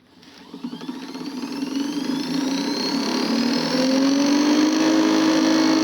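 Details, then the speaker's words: 1944 Navy TDE-3 transmitter's 1 hp motor generator (550 V and 2000 V outputs) run up after a machinist made a new keyed shaft replacing the sloppy, noisy old one: smooth climbing whir, faint base hum, no knocking; far quieter than before. "Quieter than it was before. Yeah, it's way quieter than it was before."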